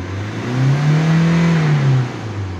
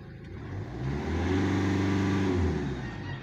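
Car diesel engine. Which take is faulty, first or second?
second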